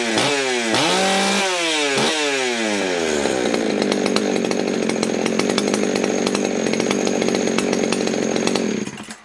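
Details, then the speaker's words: Ported Husqvarna 61 chainsaw, 48mm open port, Dukes piston, over 200 PSI compression, 28-inch bar, likely late 70s–early 80s: crisp revs rise and fall, then a steady cut under load with no bogging; strong, healthy running. "Damn, that thing sounds good, and damn, it's snappy."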